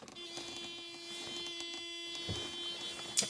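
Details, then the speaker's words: 1995 Mercedes E300 with the radio just switched off: a thin, steady electric hum holding one pitch while the power antenna mast fails to retract; antenna motor straining. Cause not confirmed. "That sound you're hearing is the antenna trying to pull back down cuz we just turned the radio off and it can't do it. Let me go help it."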